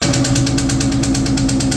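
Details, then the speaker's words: 2003 SVT Cobra with a new forged 4-valve engine on first startup, possibly after losing oil prime: sharp, loud metallic tapping about eight times a second over the idle; a cam follower fell off completely, so valvetrain knock. "And I think that is when the cam follower itself fell off completely. And that's when I shut the car down."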